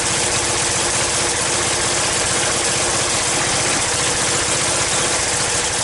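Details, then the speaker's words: Yamaha Virago XV535 at idle with replacement carbs fitted: lumpy, uneven beat with a raspy hiss from a blowing front exhaust pipe; the rear cylinder isn't firing properly. Owner suspects a failing coil or an air leak; plugs to be changed. "ether put everything back together on it and it's still having the same problem with the the rear cylinder not firing properly"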